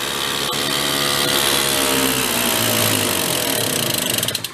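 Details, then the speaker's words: 1970 Benelli mini bike two-stroke, parked 40+ years, on choke: putters unevenly, its beat sagging until it coughs and dies. Stalling at idle; owner suspects more warm-up on the choke, tweaking or intake leaks are needed. "man just dies so I don't know if we uh need to go do a little bit of tweaking and let it warm up a little bit more on the choke"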